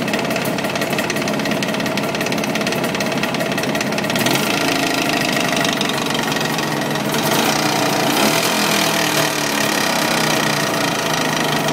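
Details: Jawa 638 two-stroke, fully warm: irregular knocking about three per second; starts under load once hot, constant after about 5 minutes, absent cold; cylinders, rings, pin bearings replaced, heads checked, source still unknown.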